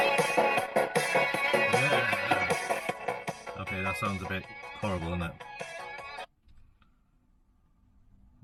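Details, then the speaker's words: Google Nest Hub bought faulty, sticker says speaker fault, playing music: harsh, rough, buzzy smeared tone across the range; blown speaker driver. "ठीक है इसलिए ध्वनि थोड़ी खराब है लेकिन ऐसा नहीं है कि सिर्फ एक टूटा हुआ स्पीकर एक रिफ्ट स्पीकर है"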